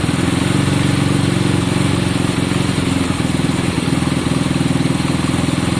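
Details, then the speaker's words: Honda CB200 idling just after first start-up, left running to circulate oil. Even, steady idle with a regular low beat, no knocks or rattles. Smoke is from a lot of two-stroke put down earlier. Sounds healthy, normal idle. "So guys, we think it's sounding great. Now, be wary that there is smoke coming out at the moment. I put a lot of two-stroke down, remember?"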